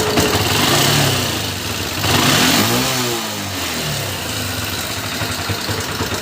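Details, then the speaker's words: Honda Unicorn motorcycle engine running, sound has become very bad: harsh metallic clatter rising and falling with revs, from a slack timing chain and noisy rocker arms, before the engine is opened up. "সাউন্ডটা দেখলেন, সাউন্ডটা প্রচুর খারাপ হয়ে গিয়েছে।"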